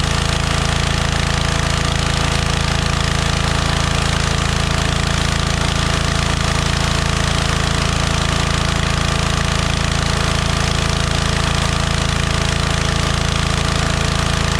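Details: DeWalt 3400 psi pressure washer, previously shutting off after 5 seconds, running after bypassing flow sensor: steady, even small-engine drone at constant speed, no stalling or surging; normal running.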